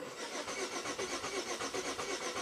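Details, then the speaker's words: 2008 Buick LaCrosse 3.8 V6, 68,000 miles, stalled and no-start for 3 months despite new ignition parts and ECM, no codes: clear-flood cranking sounds steady but compression beats uneven, never catches; cause unconfirmed, compression test next. "okay pressure switch says okay but the cranking Cadence I don't like so let's do a stick of pressure transducer in one of the easy cylinders on the front bank and see what it shows"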